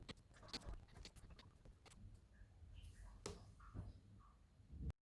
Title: Macbook Pro 16" 2019 popping noise (unrelated to speaker issue)